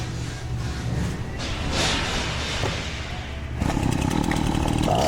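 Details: Husqvarna 525L two-stroke trimmer after repair, air filter refitted: buzzes steadily, then picks up to a higher even note without bogging or surging; normal running.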